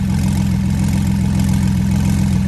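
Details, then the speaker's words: Porsche 911 Turbo flood car, second start without teardown, water cleared from fuel, running base map on Marvel Mystery Oil/0W40 mix: steady even idle, deep regular exhaust, earlier tick gone, equal smoke from each pipe. Normal idle. "it sounds good if you ask me we got equal smoke coming out of each pipe"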